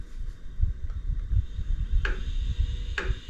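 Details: iOptron GEM28 telescope mount slewing at high speed setting 9: lumpy low rumble with sharp clunks about once a second; minimal at slow speed; owner suspects backlash preventing PHD2 RA calibration.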